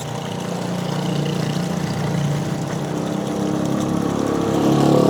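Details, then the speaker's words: Shimizu PL-122 BIT non-automatic shallow-well pump (PP plastic body, 100% copper-wire motor) at first test run after priming: steady, very smooth motor hum with even churning water rush building as it fills; normal running, strong flow. "Suaranya halus sekali ya."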